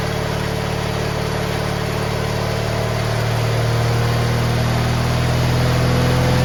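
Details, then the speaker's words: GT18 garden tractor after carburettor refit, air cleaner off: small engine runs rough, wavering drone struggling to clear; suspected flooding, which it did not do before. "now that's not promising sounds like she's flooding which is not good it was not flooding"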